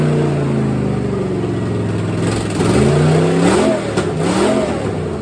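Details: 1964 Chevelle V8 first start after sitting, little coolant in it: lumpy revving up and down with a raw, uneven puffing bark on the rises; open header on one side leaking exhaust, three header bolts missing.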